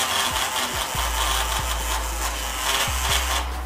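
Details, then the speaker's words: Bosch magnetic electric coolant pump removed from a Yamaha Aerox scooter, powered on for a test: low hum repeatedly broken by short falling whoops as it kicks, stalls and retries, never running steadily; pump has failed and is replaced with a brushed Motoforce Racing pump. "как бы она пытается запуститься и что-то там всё очень плохо"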